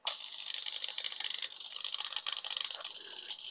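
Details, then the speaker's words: Servo 4, disconnected and running unloaded on a ToolkitRC ST8 tester, makes a light, irregular, scratchy rattle that the other servos had masked. It still draws over an amp with no load, with suspected binding. The servo is faulty. "we can hear that there's a very strange sound that was being masked by the other servos before"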